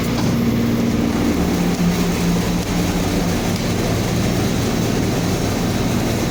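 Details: Reefer truck chiller fan blower, after replacing its worn carbon brushes that had caused a blown fuse and a "fuse bad" error: steady, even whoosh with a low hum, no alarm or rubbing. Normal running after repair.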